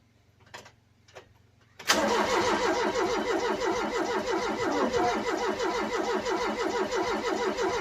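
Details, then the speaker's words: Ford Cortina engine cranking with a few quiet clicks, then firing and running unevenly at about three beats a second as fuel from a brand-new fuel pump reaches the filter; it catches once fuel arrives, and a fuel leak is then found. "There we go, there we go. He wants to. He wants to. Yep, there's fuel in there."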